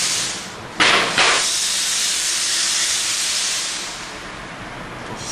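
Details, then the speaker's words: 1998 Mercedes E320 whose passenger-side cat disintegrated and blocked the exhaust, with a hole pierced in the exhaust until a replacement arrives: while driving, a loud steady hiss swells with throttle over the engine; the car drives fine. "I'm driving the car and it actually drives fine except that got the hissing sound"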